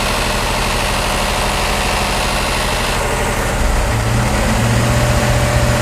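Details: BMW E39 M5 V8 idling: fast light ticking, about three per second, from bank 1 at idle only; bank 1 VANOS test makes the noise during inlet advance and quits after exhaust retard, while bank 2 passes.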